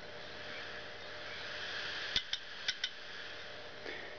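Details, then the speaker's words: Western Digital 80 GB IDE hard drive, opened: light sharp ticks in close pairs over faint hiss as the actuator arm keeps failing to calibrate; dead drive, click of death. "click and its trying to calibrate itself but it can't because it's dead"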